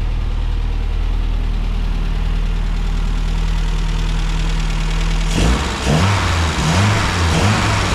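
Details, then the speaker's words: 1970 Mini Cooper S Mk3 after carb rebuild and timing set: smooth, even idle, then crisp throttle blips that pick up cleanly. Runs sweet and healthy. "oh yeah beautiful I'm so happy that it's running w sounds good"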